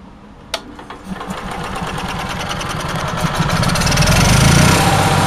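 Engine climbs to a fast, even four-beats-a-second run and keeps rising with no load; it is idling far too high, cause unknown.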